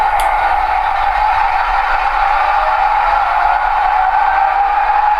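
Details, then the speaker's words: Intermountain GP10 model locomotive with its factory speaker, throttle run up to notch eight with the horn blowing: a loud horn note smothered in harsh crackle and rattle. The overdriven speaker is to be replaced. "when you hear when it gets to a high sound level when the horn is blowing you can actually hear the crackling and the rattling and the speaker and it's you know it's something that I want to address"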